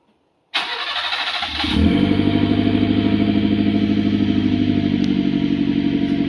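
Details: Mitsubishi Pajero Mini turbo, five-speed, new custom 2-inch mandrel exhaust with turbo muffler: cranks and catches, rises briefly, then steady even exhaust pulse at idle. Normal startup and idle.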